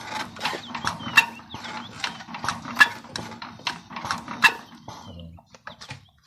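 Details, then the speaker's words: Diesel while cranking: sharp, uneven metallic ticks about every second or two, caused by a loose, moving camshaft. The fix is resetting the camshaft gear timing. "So this is the the sound that indicates that your your cam shaft is moving. So if you hear this sound, make sure uh your cam shaft is repaired in as soon as possible."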